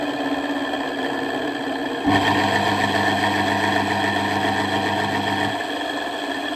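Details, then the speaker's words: Myford ML7 lathe, over 70 years old: its electric drive motor run alone with no load, before the belts are replaced. A steady hum with a coarse, rough undertone; the noise comes from the motor itself, perhaps worn bearings (unconfirmed). "as you can hear the motor is a bit noisy"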